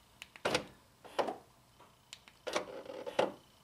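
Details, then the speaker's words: 2003 Honda Civic EX rear door lock actuator before replacement. Quick thunks as the lock cycles, then a short gritty buzz at the end of the unlock stroke. Worn actuator gears that will get worse. "Yeah, you can hear it on the unlock that the gears are going bad on this one. And they'll get worse and worse."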